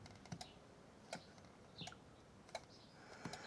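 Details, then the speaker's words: 1998 Jaguar XK8 project non-runner, seat test: quiet irregular single clicks about once a second with no motor hum. Relays switch but the seat lift motor stays dead; owner suspects it is jammed, disconnected or failed, not confirmed. "So, the lift motor is jammed, disconnected, failed. I can hear the relays going."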